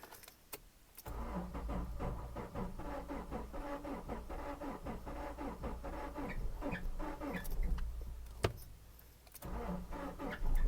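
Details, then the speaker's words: 2011 Subaru Forester 2.5 DOHC, heard from inside car after new battery: starter cranks at about four beats a second, uneven, never catches; crank-no-start, code P0345 camshaft position sensor A circuit bank 2 later set, cause not confirmed. "The complaint is no crank, no start. Or no, it cranks. It won't start. It doesn't sound good."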